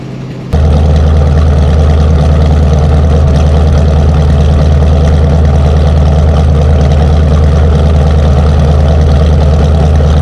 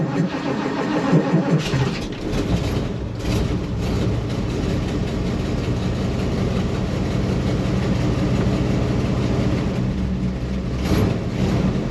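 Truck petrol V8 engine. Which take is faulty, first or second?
second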